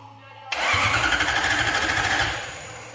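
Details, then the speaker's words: Lexus IS200 swapped with a Toyota 1UZ V8 on an ECU Master harness and ECU, first start attempt: the starter spins the engine at a steady rhythm about two seconds but it never fires. Crank, no start, no spark. "Vas-y. Et vas-y. On n'a pas d'allumage."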